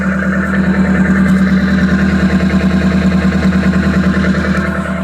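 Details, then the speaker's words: 1984 Toyota Corolla AE86 with Weber carburetor, steady idle: loud, raw, blatting exhaust with a coarse rasp and rattle; exhaust cut off with no muffler fitted, engine itself healthy. "the engine itself sounds really good but wasn't what doesn't sound good as the exhaust"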